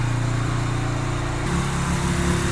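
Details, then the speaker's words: 2007 Yamaha Virago 250 after fitting a new CDI, with the air box off, tank loosely fitted and fuel on prime. Fast, even idle hanging well above normal; owner plans to lower the idle and adjust the air-fuel mixture screw. High idle. "Well, that sounds better. The idle's kind of high."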